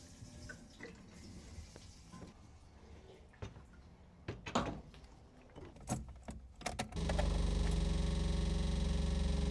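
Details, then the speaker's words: Wrecked Alfa Romeo GTV with a built 2.0L engine and dual Dellorto carburetors, after a new high-pressure fuel line, a new filter and reconnecting the pump: a loud, steady low buzz pulsing near four per second as the electric fuel pump runs normally, delivering fresh fuel. "You can hear the fuel pump. Yeah, look at that. New fresh fuel is running from the fuel tank all the way through the car up to the carburetors."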